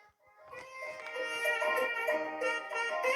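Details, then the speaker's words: Late-1970s Phodis CIS-440 stereo headphones after DeOxIt cleaning of crackling volume sliders and switches: woodwind music plays cleanly, no crackle, dropouts or scratchy noise, both channels working; clean audio playback. "The sliders work beautifully, there's no crackling, the switches even feels like it clicks better."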